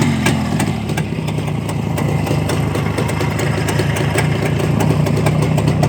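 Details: Black ČZ two-stroke motorcycle after engine repair: crisp, even buzz that picks up cleanly with the throttle, no rattles or misfires; runs healthy.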